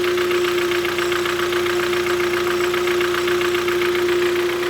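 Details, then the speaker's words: Kia Cerato 1.6 G4FC petrol engine, 212,000 km, automatic, using about 2 L oil per 10,000 km. Loud rhythmic diesel-like clatter at idle from piston slap, especially audible inside the cabin; block sleeving planned. "довольно-таки сильно дизелит машин [аплодисменты] мотор стучит хорошо особенно салона это слышно"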